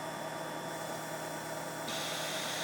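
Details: Wurlitzer-type player piano lock and cancel valve with inline bleed cup replaced by plain tubing: steady airy hiss growing brighter, too much vacuum between upper and lower valve, valve no longer works, leaking vacuum.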